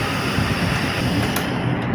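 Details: Flood-damaged electric fan motor after cleaning and reassembly, tested bare before fitting blade and guard: smooth steady low whir with no rattles or scraping; runs normally.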